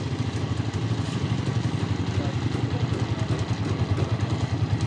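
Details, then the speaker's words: Honda TMX 155 single-cylinder after replacing a worn, very noisy timing gear and pin: idle is now a soft, even low thrum with only vibration and no ticking or clatter. "so Menor natin vibrate lang po naririnig natin ngayon"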